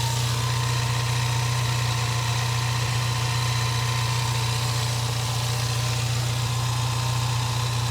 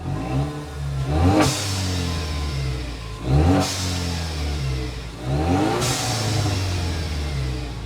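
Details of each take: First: Four-cylinder car at a salvage auction with minor fender damage and apparently missing exhaust pipes: smooth, even low hum at idle with a steady pulse and no knocks, ticks or whine; engine runs well. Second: 2016 Ford Mustang EcoBoost, 90,000 miles, slightly warmed up, revved with the mic removed to hear exhaust and turbo: three sharp revs with a loud, raw, deep roar. Exhaust pipes are missing.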